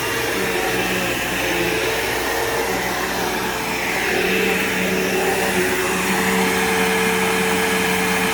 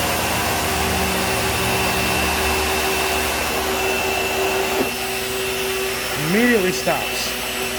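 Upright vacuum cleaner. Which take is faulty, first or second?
second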